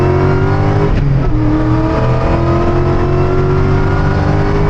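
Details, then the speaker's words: 2017 Cadillac CTS-V, LT4 supercharged V8 with dual-clutch transmission, hard acceleration through third gear: loud pull with steady Roots blower whine carrying through quick gear changes; normal supercharger whine. "There's something about a Roots blower attached to a dual clutch transmission. The whine, like, you know, the 03, 04 Cobras and all the manual transmission Roots blower cars are fun, where you get the pause between shifts."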